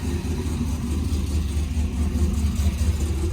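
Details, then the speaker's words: Rebuilt blown-up LS V8, new tune, cold, running rich at about 11.1 AFR, 50 psi oil pressure, 14.2 V; deep even rumble with steady firing, no knocks, ticks or misses; normal running. "we got a lot of oil we're running we got him coolant topped off sounds really good"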